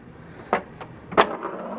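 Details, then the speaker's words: 1993 Bally/Williams Twilight Zone pinball (WPC) in test mode: three soft flipper thumps, about two-thirds of a second apart, lacking snap. The flipper is too weak to make the ramp shot. Electrical, not mechanical: the cause is a faulty flipper board optic. "Pretty wimpy. It can't even make the ram shot. That's a pretty wimpy flipper."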